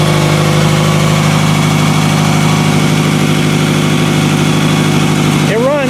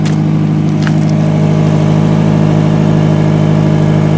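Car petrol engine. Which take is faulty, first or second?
second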